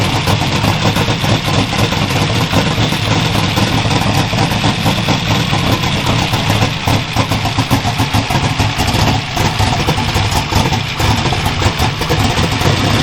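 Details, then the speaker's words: Twin GT45 turbo 468 big block with AFR 305 heads, 4500 Dominator throttle body and Holley EFI, first start after rebuild, not cold, tuning not right: loud, lumpy, loping idle with sputtery edge, smoking with raw-fuel smell; running very rich. "So, that's all unburnt fuel. It smells like raw fuel. It's running rich as can be."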